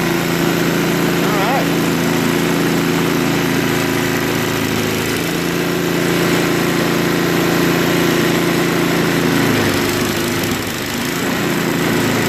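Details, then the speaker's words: Craftsman 524 Trac Drive snowblower after quick carb clean of float bowl and jet nut, previously bogging and running only at 75% to full choke; steady single-cylinder idle that picks up cleanly without bogging; running normally. "well it even runs well and idle no that's very good so we know that the starter works runs well at idle and it will grow warm up you know"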